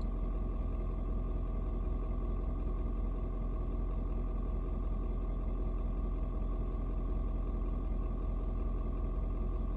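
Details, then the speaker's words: Ford Super Duty 6.7 diesel, cold start at 56°F, engine still really cold: steady low clatter with an even, unhurried beat and nothing knocking, expected to idle down slightly once near temperature; normal cold idle. "the truck's still really cold right now and um i'm gonna try to not talk while the truck dude does this but it's going to like idle down just a little bit"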